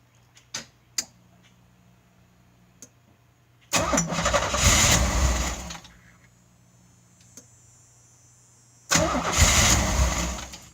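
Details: 1986 Pontiac Fiero 3.4L after fitting used original 2.8L injectors and a Holley 512-501 adjustable regulator, fuel pressure about 58 psi, firing order and vacuum lines OK: two bursts of steady cranking with no catch; crank no start.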